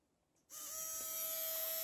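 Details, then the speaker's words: Microwave oven small motor bench-tested on batteries in series (18 V) during troubleshooting; starts instantly and holds a clean, steady whine with no rattles or scraping, motor works fine. "surprise the motor works just fine"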